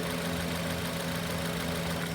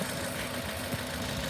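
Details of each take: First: Idling engine on an 8-channel fuel and ignition scope, with the crank sensor deliberately grounded slightly. The idle becomes uneven and labouring, stumbling and briefly cutting out: misfire from crank sensor signal dropout. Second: Engine idling with an 8-channel scope on the four injectors and ignition, just before the crank sensor is slightly grounded: steady low hum with even rhythm, no knocks or misses; normal idle.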